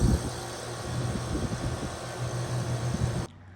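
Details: Home AC outdoor condenser unit after the faulty capacitor was replaced; before, the fan motor hummed but would not spin. Now a steady low hum with an even rush of air: the condenser fan is running normally.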